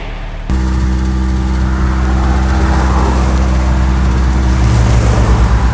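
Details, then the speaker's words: 1997 Honda CR-V after pressure-washing the engine, plugs dried and loose oil filter fixed: engine idles steadily with a light metallic rattle over the low rumble from exhaust hanging loose, brackets not fastened properly; not the engine. "and that rattle you can hear guys it's actually our exhaust that's kind of hanging underneath the brackets are actually not fastened properly so that's not the engine"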